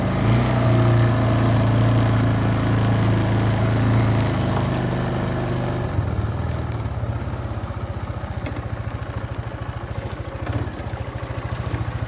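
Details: Barn-find Kawasaki Bayou 220 ATV on test drive after repairs (filthy carburetor cleaned, new battery, oil and air filters, rear right wheel bearing and seal): steady single-cylinder putter settling into even beat as it rolls off, no knocks or rattles; running really good.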